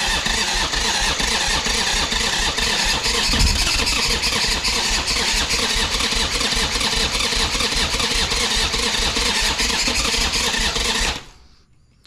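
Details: 1985 Harley-Davidson Sportster Ironhead V-twin, sat outside a long time, first start attempt after oil added: rapid uneven cranking chuff with occasional sharper firing pops, never settling into a steady run, then cutting off; cranking with intermittent firing.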